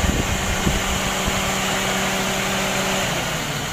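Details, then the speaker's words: Daihatsu Gran Max 1.3 engine after rebuild and valve clearance adjustment, warm with temperature near half: smooth, even idle with the radiator fan whooshing on top, no knocks or ticks; normal. "kalau kita panas sih itu temperatur sudah mendekati separuh itu kipas radiator harus mutar seperti ini ini menyala ini"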